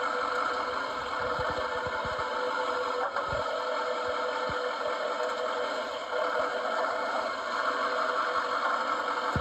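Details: 2019 GMC Sierra 3500 HD Denali diesel, driver's side front, torsion bar and rear lower control arm area: irregular dull clunks over steady idle each time it moves; lower control arm bushings suspected, not confirmed.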